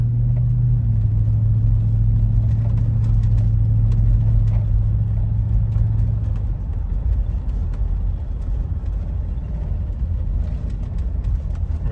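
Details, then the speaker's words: Toyota 100-Series Land Cruiser V8 driving after a welded exhaust-leak repair: deep, even rumble that smooths out while cruising, with no puffing, ticking or rattles. The exhaust is sealed and healthy and the pipe doesn't touch the chassis. "Very smooth. I'd say this is a job completed. No rattles. The pipe doesn't hit the chassis anywhere. It's the perfect amount of uh rumble in the car. Not too loud."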